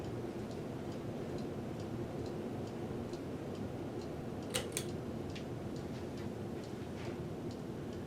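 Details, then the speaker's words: Older ceiling fan with good bearings, started on high speed: steady airy whoosh with a faint, even light ticking, running smoothly with no grinding or wobble; normal high-speed operation. "well let's start it up on high that's pretty good"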